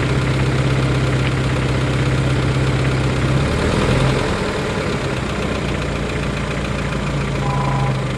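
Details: 1993 Geo Tracker at steady idle: dull, fairly regular knock about two or three times a second from low in the engine; owner suspects rod knock, wants second opinions before pulling the motor.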